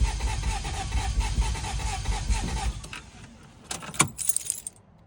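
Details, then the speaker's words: Toyota Celica after a head gasket and timing belt job: the starter spins the engine in an even chug for about three seconds and it never catches. Crank-no-start behaviour changes between attempts; later fixed. "You wait 2 seconds, you crank it over again, it changes what happens."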